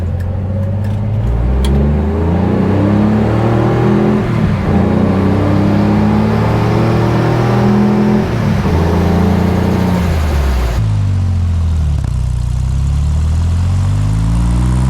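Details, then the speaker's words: Corvair with new exhaust and muffler, wide-open throttle run 0–60: pulls hard through the gears, revs climbing near 5,500–6,000 rpm at the top of third. Clean deep exhaust without rattles, measured 93.9 dB, not significantly louder. "all right so the top of uh a third gear at about 6,000 RPM 5,500 or so um we were at 93.9 DB so not really significantly louder"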